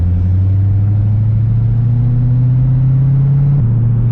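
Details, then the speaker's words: Corvette with newly rebuilt LS3 V8 on first drive, base tune, coolant slightly low and running a bit hot; deep steady rumble pulling smoothly with even firing and one clean shift, normal engine running while driving. "first time moving the car in so freaking long it sounds great sounds amazing the car sounds freaking amazing"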